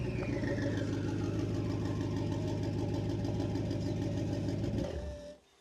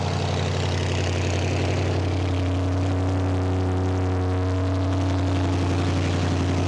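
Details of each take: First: BMW N63 twin-turbo V8 with catalysts removed and new downpipes, lower pipe not yet joined to the exhaust: loud, raw, blatty drone climbing with revs and dropping off-throttle; open disconnected downpipe, to be connected. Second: BMW N63 twin-turbo V8 after catalysts removed and downpipes fitted: deep, steady idle with even low burble and no ticking or puffing at the joints; joints sealed, no leaks.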